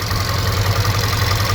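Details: VW Polo R Line being rebuilt after a crash, at idle after engine wiring loom swap: uneven, lumpy low throb rising and falling irregularly; rough idle, owner plans new spark plugs, oil change and timing chain, cause unconfirmed.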